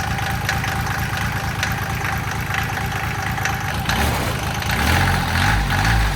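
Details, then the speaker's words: Mitsubishi L3E 3-cylinder diesel (about 20 hp) powering a log splitter, after a low-cost rebuild fixing a middle-cylinder valve with zero compression: steady, even low chugging idle on all three cylinders, less smoke, little blow-by; normal diesel idle. "It's running a lot smoother. It's not smoking nearly as bad."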